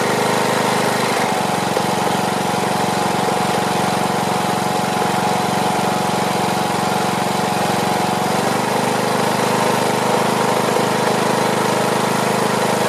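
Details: Briggs & Stratton Platinum 21hp mower engine after topping up oil, old air filter on: fairly steady speed but note wavers and dips midway; uneven running, owner plans carburetor cleaning and tweaking.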